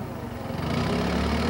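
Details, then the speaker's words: Toyota 4FG/4FD forklift with a 5R engine, torque converter stall test in reverse at full throttle: the engine pulls down to a steady, even drone with no flare or knock. Speed falls from a 2600 rpm maximum to a 1700 rpm stall speed; the manual spec is 1800. "rev up the engine and check the tack reading as in the last test watch the change from the maximum speed to the stall speed the maximum speed is 2600"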